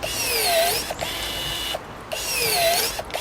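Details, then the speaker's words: Budget battery pruner cutting a 19–20 mm (3/4 inch) branch: high whirring motor sags in pitch through each cut then recovers; struggling under heavy load but still cutting. "We're around the 19 to 20 mil mark here, about 3/4 of an inch. Starting to struggle,"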